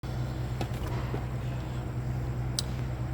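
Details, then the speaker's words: 2015 Mini Countryman, 37,000 miles, petrol, idling: uneven stumbling low thrum; misfire with no ECU misfire codes, new plugs and coils, power fine; cylinder test found a leak between two cylinders. "wam jak wygląda test silnik nierówno pracuje na wolnych obrotach A co ciekawe nie ma błędów od misfire nie rozpoznaje przerwy w cyklu spalania"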